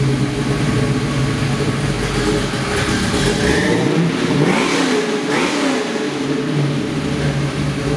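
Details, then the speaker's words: Bronco V8 with Edelbrock Victor aluminum heads, self-learning fuel injection, dual 2.5-inch exhaust, very low miles: steady rumble with quick throttle blips rising and falling cleanly; no misses or knocks, running a lot better. "It's running a lot better now, but it basically learns as it goes. So we'll go ahead and we'll fire it up so you can listen to it."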